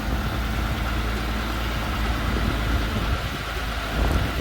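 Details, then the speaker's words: Cadillac CTS started and idling after fuel filter replacement, checked for leaks: steady, even low rumble with no misses, ticks or surges; idles smoothly and no leaks. "now let's start and we're just going to let it run and why it's running we're going to check and make sure we have no leaks"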